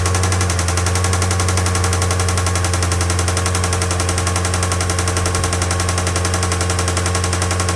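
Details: Acura TSX K24A replacement engine, still under warranty, start-up with steady heavy knock about four beats a second: rod knock, defective engine.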